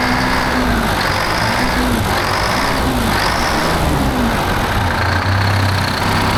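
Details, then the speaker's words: 1975 Peterbilt 359 with Detroit 12V71 two-stroke diesel, first start after 30 years sitting in a barn: rough uneven idle surging up and down, one cylinder bank dead cold and not firing; owner suspects that side's exhaust is plugged. "nothing dead cold dude nothing on this side is fireing huh"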